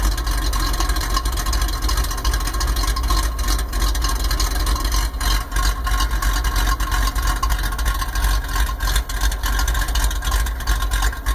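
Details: 1995 Ford F150 with vacuum leak (thermactor) making it sound cammed: uneven loping idle with irregular low pulses about three a second and hiss over it; rough idle, leak later believed fixed.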